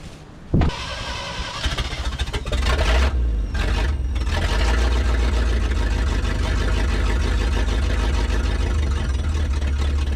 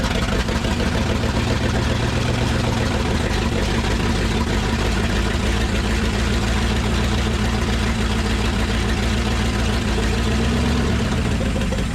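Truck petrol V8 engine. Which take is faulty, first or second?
first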